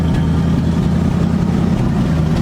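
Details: 1973 Ford Gran Torino Sport Fastback with 351 Cleveland V8, sat 3 years, running on old bad gas with low pressure: low, steady idle with uneven, slightly lumpy beat, no clear knocking; rough idle, cause uncertain.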